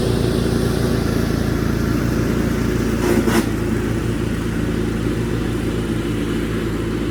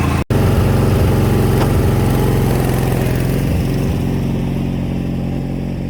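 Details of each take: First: 1987 Craftsman GT18 lawn tractor after tune-up (idler pulleys, carb gasket and needle valve, drive belt, battery): small single-cylinder engine holding a steady, even note while cutting grass, no surging; runs healthy. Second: 1987 Craftsman GT18 lawn tractor engine after tune-up: small single runs steady and even but slightly fast; rpm set a bit high, to be lowered at the governor spring before test-cutting grass.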